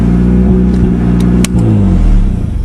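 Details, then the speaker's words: 1992 Talon revved with the water pump not turning; loud throaty revs with sharp pops and cracks as the throttle snaps, open-exhaust crackle. "So if this thing were in that movie, it wouldn't be called The Fast and Furious, it would be called The Fast and Fartious, that's for sure. But it does sound nice when you're giving her, stepping on her."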